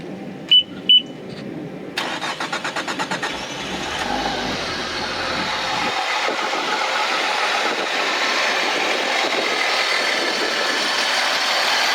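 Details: 2005 Honda BF225 outboard on flush muffs after replacing both thermostats (starboard found stuck open): two short key beeps, quick crank, then it catches and settles into a smooth, even idle with no stumbling.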